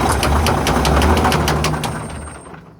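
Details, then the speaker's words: Semi-truck diesel engine at idle, heard up close: very loud, regular heavy knock near four per second, fading at shutdown; a flooding injector that may have damaged the cylinder liner is suspected, and it resembles rod knock, not confirmed. "that was loud that's so freaking loud I'm saying I got my head next to that and I'm like maybe I shouldn't I don't want a rod scent through my brains that's loud it's really loud"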